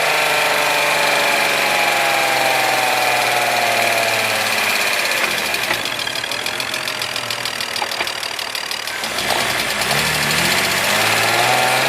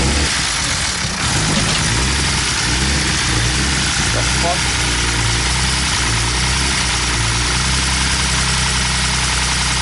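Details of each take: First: BMW E46 M54 inline-six after refitting the fallen-off oil pump nut and replacing the oil pan gasket: steady, even idle with light regular tick, no knock or stumble; oil pressure restored, sounds healthy. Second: BMW E46 with M54 engine: harsh, loud idle with constant clattery top-end noise, like the loudest lifter tick, after the oil pump nut fell off during donuts, starving the engine of oil; extra oil didn't help.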